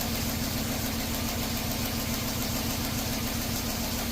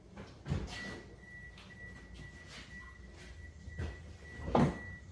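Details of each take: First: Toyota idling with a scope hooked up: slightly lumpy, uneven pulse under light mechanical clatter. Codes show camshaft position timing over-advanced and a cylinder 4 misfire, believed caused by pulling the coil; a possible open switch is suspected. The cause is not confirmed. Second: Toyota cranked with accelerator floored during crank and manual compression test: brisk, even starter beat near four per second, compression evenly matched, reaching 175 psi; normal cranking, good compression.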